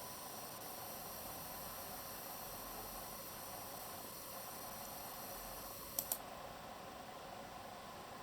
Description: Extraneous hissing noise (maybe from chokes) on EVGA GTX 1070 OC under full load (Furmark test)